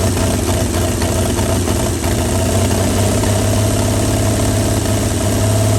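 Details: 1937 Chevy truck, abandoned about 45 years, loud deep fairly even idle with some roughness, no hard knocks, running on ether/starting fluid; carburetor froze up from running on ether that long, but it's a runner.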